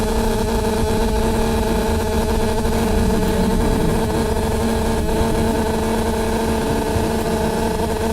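A loud, steady drone with a constant mid-pitched hum runs nonstop over the engine; the source can't be identified.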